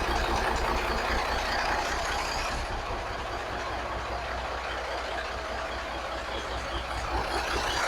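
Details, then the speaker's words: 1983 Kenworth cab-over, Cat A-model diesel, after setting injection pump timing and overhead; even idle clatter, steady, no misses, knocks or hunting; slight expected blow-by; shut off soon to avoid getting hot; sounds healthy. "So it's just a little bit of blow by. I expected that. It sounds good, man. It sounds real good."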